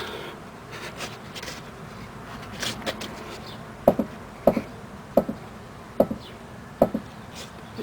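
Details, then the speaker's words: 2005 Chrysler 300C, right upper ball joint with dust cap missing, likely dried out; sharp single clicks about every two-thirds of a second as the suspension is pushed down by hand, ball joint worn with play, clunking when turning. "Alright guys, just to give an idea how you could tell that the ball joint, it's pretty bad. Look at this. I don't know if you can hear this. See the clicking noise?"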